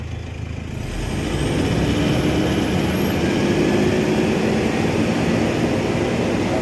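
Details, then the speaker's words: 2010 Toyota Hilux Vigo 2.5 D4D VN Turbo diesel, manual, 198,xxx km: free rev to nearly 3,000 rpm, climbing smoothly from idle to a strong, even high rev with no stumble, knock or black smoke; a healthy engine. "ครับแบบแรงๆเลยนะเมื่อกี้กดไปเกือบจะ3,000รอบนะครับผมเครื่องฟิตๆนะครับผมควันดำไม่ไหลออกมานะครับ"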